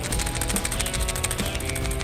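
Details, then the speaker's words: New PCV valve shaken by hand gives quick, crisp rattling clicks as the check piece moves freely, unlike the old one, which was clogged and silent. "that's very free you just turn it upside down that little gray thing is gonna close off the hole whereas this one is totally clogged"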